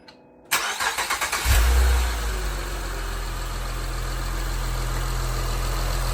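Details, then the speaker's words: 2006 Honda Legend KB1, J35 V6, after timing belt kit and water pump replacement: quick cranking catches at once into a smooth even idle, no more loud rattling; normal start and idle. "no more loud obnoxious rattling back to normal and ready to drive"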